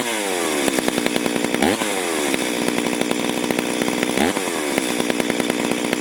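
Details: Stihl MS440 chainsaw cutting wide oak in a log splitter, before port work; screams high and thin with quick revving swings; running lean and down on power, maybe carb issue or air leak as owner suggested.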